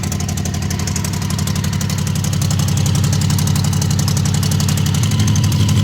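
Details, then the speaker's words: Honda CB750 barn find, 65,000 miles, outside for years and previously seized, first start on syringe-fed fuel: even, smooth four-cylinder tickover like a sewing machine, no misses or knocks, despite a separate rattle. "So apart from the rattle and the whole condition of the entire bike, I'm amazed at how smooth the bike is running at tick over. It is almost like a sewing machine. Well, it sounds like one anyway."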